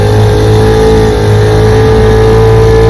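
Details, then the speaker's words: Restored 1947 Johnson HD-25 2.5 hp outboard after carb intake manifold replacement, on lake pushing a john boat about 3 mph under load: steady, even firing, clear tone, no misses; normal running. "Out here on Toledo Lake, running her. She runs great. Pushes my little John boat about 3 miles an hour."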